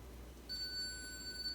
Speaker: you'll hear a beep and so the imu the inertial measurement unit senses when you want to change lanes and will output a beep if there's an object in the way so that the driver knows not to turn